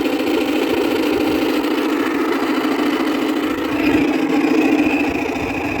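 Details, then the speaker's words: 2000 Whirlpool air conditioner, neglected two years outdoors, fan-only mode, stiff fan: steady, rough, droning whir with harsh gravelly edge; worn fan motor bearings, still cools. Fan motor bearing noise. "i have to say on his viner on his vintage units bearing noise is not is a lot worse compared to shot bearings on a modern unit chop bearings on a modern unit are actually tolerable this one is not tolerable at all i can't deal with this noisy"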